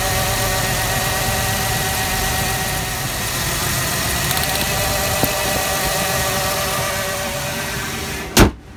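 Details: 1996 Ford Explorer Sport 4.0L with P0303 code: idle stumbles slightly with uneven exhaust beat; cylinder 3 misfire.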